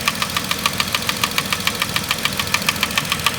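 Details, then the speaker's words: 2010 Vauxhall Corsa 1.0 Ecoflex three-cylinder replacement engine at idle: sharp light tapping about 3.5 per second, knock-like, from worn inlet manifold swirl flaps rattling. "but these swirl flaps are rattling they are rattling like how can I even put it"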